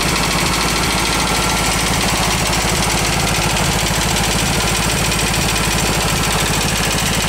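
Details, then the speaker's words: Garage-find VW bus engine at idle: loud, lumpy beat of about three pulses a second with loud tapping and popping through the carb; one cylinder fires only occasionally, suspected burnt valve, compression test planned. "sounds better still tapping loud juding by the way that's popping through the carb has a burnt valve you can hear it kind of kicking in though Fire's on on once in a while"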